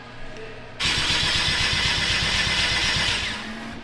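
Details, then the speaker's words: Car being diagnosed, ECU not always sending correct spark signal, no spark found; cause could be wire or ground: starter cranks evenly about 160 per minute for two and a half seconds but never fires; crank, no start. "what he's doing right now is using it to check spark he's using it right now what did you find it's not always sending the right signal for spark all right and see this is what we're talking about now we're not getting sparked"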